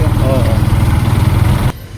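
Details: Yamaha MT-15 idling before rocker adjustment: light, quick ticking over the low single-cylinder thump; owner suspects loose rocker (valve clearance) noise, not yet confirmed before opening.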